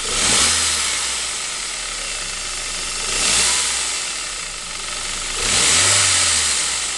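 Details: Saab 9-5 B235 engine at cold idle, the noise only occurring when cold: a dry rattling clatter in surges every few seconds; owner suspects the timing chain.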